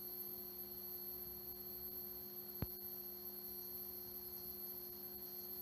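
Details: Vintage 1976 Bulova Accutron 219 tuning-fork watch running normally: a steady, faint high hum with one brief click.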